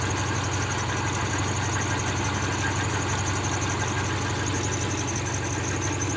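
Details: 2003 Subaru Forester parked and idling: light, high chirp/squeak repeating about three times a second over steady idle; owner thought belts, but tightening them didn't cure it; source not pinned down.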